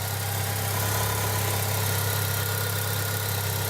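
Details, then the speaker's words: 1998 Eclipse GST idling after fitting FIC 650cc injectors and ECUflash base tune (injector scaling changed, boost limit 250%), engine not yet warmed up: smooth, even idle with no misses or stumbles. Normal idle. "yeah so it seems to be running okay it's idling fine so that looks pretty good to me"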